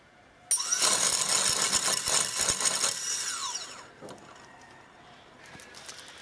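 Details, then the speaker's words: Sunnysky 2212 980kv motor number one on a Squirrel 360 quadcopter (Naze32, F-30A SimonK ESC), prop fitted loosely: high-pitched whine spins up, holds and winds down smoothly, spinning the correct direction; normal motor spin. "so let's do motor number one again and we see that it's spinning this direction which is correct"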